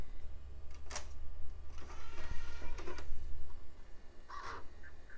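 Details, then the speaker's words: Packard Bell Platinum 2240 original CD drive on first test: tray slow to open, then scattered clunks and rough mechanical whirring with no steady spin-up whine; disc never spins, owner thinks it's dead, later spins up, maybe after being knocked around. "sounds a little cranky in there and it did not spin up I think that thing's had it"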